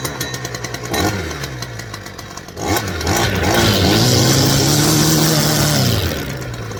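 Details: STIHL FS 410 C petrol strimmer after replacing the broken clutch spring that let the head turn at idle: small two-stroke buzzes at idle, revs cleanly to a steady high whine and drops back smoothly; runs normally.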